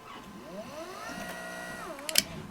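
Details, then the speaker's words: Jobo CPP2 processor agitator motor with its faulty switch bridged by a screwdriver: hum climbs, holds, reverses and winds down, then sharp clicks; motor works, so the switch is bad. "there it goes. And it reverses. Now it's unhappy right now because this is not allowed to spin, but there we go."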